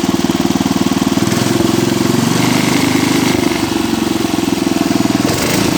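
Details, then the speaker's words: Cub Cadet 86 single-cylinder engine after 10–15 minutes running with the starter-generator belt disconnected: steady fast idle, even thump, no squeal or rattle; owner suspects the earlier noise came from starter-generator bushings or bearings. "it's been running for I don't know 10 or 15 minutes or so with the starter generator belt disconnected and it hasn't made that sound again since"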